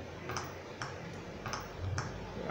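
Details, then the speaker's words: Philco TCM-2044 TV before repair: sharp ticks from the speaker about every half second over low hum as the standby LED blinks and the set cycles on and off; power cycling caused by an open resistor. "ela fica piscando o stai dela fica piscando liga e desliga liga e desliga e fazendo um barulho aqui no no no no altofalante"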